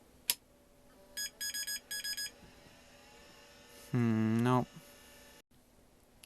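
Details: 1986 GRiDCase 1520 rugged 286 laptop at power-on after reassembly: quick run of short high beeps then a chime; the service manual says 1-3-3 startup beeps mean bad RAM, so bad RAM is suspected; the laptop never got working.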